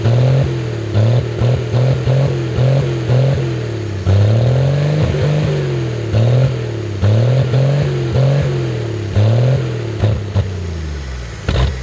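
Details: 1964 Chevy Biscayne, parked 30+ years, first run after a dose of brake clean: steady just above idle with a few throttle blips, pitch rising and settling evenly; it sounds healthy.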